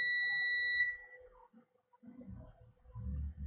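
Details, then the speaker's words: Garage door opener board with a visibly blown component: steady continuity beep on the voltage regulator output (pin three, feeding a chip) confirms it is still shorted to ground after repair attempt, though the short on the other side is gone. "So, pin three is still shorted."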